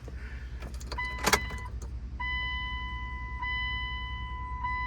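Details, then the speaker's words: 1998 Dodge Durango that had sat over ten years, ignition on after the tank was smacked to get the pump working: steady high electric hum at constant pitch with short gaps between runs; fuel pump priming normally. "I can hear the pump. There we go."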